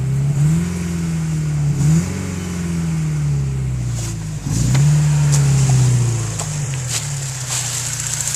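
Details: Porsche 944 turbo (951), stock, revving: a tone climbing and falling with engine speed over the exhaust note; owner suspects the turbo is out of balance from debris buildup or a broken fin, unconfirmed until disassembly: turbo whine.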